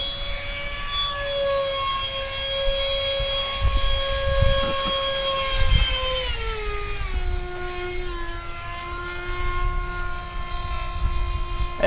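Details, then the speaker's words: Skyartec F-16 RC jet with an EDF fan duct rebuilt from a spray-can cap after a crash: a steady high fan whine dropping in pitch, with a faint rough edge at lower rpm. Slight fan imbalance suspected, not confirmed. "rpms sounds like I have a little miss balance i actually had the flu laid back on to my fan for the fans a little ala balance and that lower rpms you can hear it"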